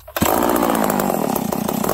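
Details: 038 Magnum chainsaw started after sitting four or five days: fires after a pull and settles into a crisp, steady high-pitched buzz with no stumbling; runs clean and healthy.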